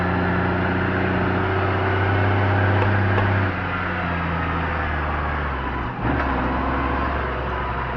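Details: Case MX110 diesel tractor carting silage on 2nd cut, 2012, under load: steady low drone easing off after a few seconds; abnormal noise, source unclear.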